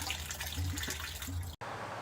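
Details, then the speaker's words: Microhydro turbine penstock filling with the bottom valve closed: irregular watery gurgling and splashing as displaced air travels up and out through the pipe at the forebay barrel, normal while the pipe fills. "so the pipes filling with water and for that water to go somewhere the air has to go somewhere in the air is traveling up here up through this pipe also"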